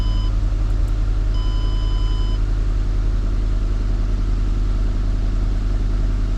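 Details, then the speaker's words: 2009 Mercury Mariner after throttle body cleaning and a new air filter, which fixed a bad shake, a flashing check engine light and the wrench light: a steady, even idle with no misses or shake, plus a few chimes. "And as you can hear, it's running a lot better, and we no longer have our service engine light on, nor do we have the wrench light on."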